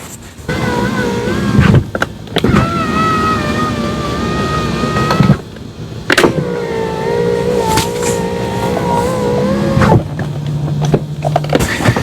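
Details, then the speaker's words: 2016 Kia Optima right front power window after replacing the stripped-pulley regulator with an aftermarket assembly, door panel off: motor hums smoothly through each full travel, pitch steady without grinding, clicking or straining; motor and regulator working properly. "Motor sounds good and the regulator sounds good."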